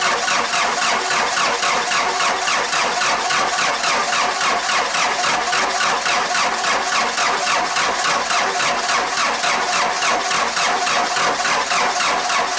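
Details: 4BT Cummins diesel Jeep at about 30°F, before a grid heater was fitted and the VE injection pump resealed then replaced: long steady cranking at about three and a half beats a second with no catch; hard cold starting.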